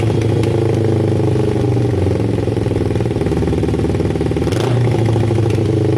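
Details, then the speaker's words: Kawasaki cafe racer with carburettors and a loud twin exhaust: a burbling idle, then a throttle blip slow to drop back, so the revs hang slightly. Owner suspects the carbs need tuning, probably air-fuel screws, maybe balancing. "The revs are hanging a little bit. I think the carbs need a touch of tuning. It will probably be air fuel screws, maybe balancing."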